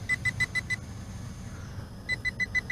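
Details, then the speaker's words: TIANQU VISUO XS812 GPS 5G WiFi FPV quadcopter in flight after a fail-safe reconnect: two bursts of five quick high beeps, about six per second, with a gap, as battery indicator drops to 15; low voltage warning. "have a low voltage warning already oh wow not much flight time"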